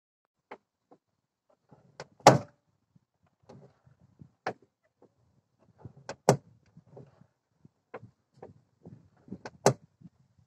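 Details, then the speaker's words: Car door check strap: loud irregular clunks and knocks as the door swings, jumping at the detent when opening or closing; door check strap seized and worn out. "voilà devant donc le coupable de ce claquement quand on ouvre la portière ou même la fermer ou aussi le fait qu'elle puisse sautiller des fois au commandant l'ouverture"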